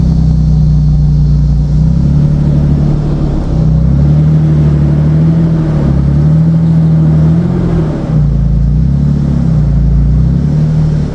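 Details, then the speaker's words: 2007 Nissan Xterra after fan clutch replacement, driving; deep heavy roar swelling and dropping with engine speed like an 18-wheeler, noise unchanged by new fan clutch, cause not found. "Alright guys, so I changed the fan clutch and the car still sounds like an 18-wheeler."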